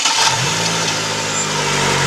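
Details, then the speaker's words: 2009 Chevrolet Agile 1.4 cranking: harsh metallic scraping like a rattling can, sometimes louder, then the engine catches; the starter motor had no defective parts but was very dry, fixed by lubricating it. "mas é um barulho ela ele raspar como se fosse uma latinha fazendo barulho só que tem hora que esse barulho fica mais alto"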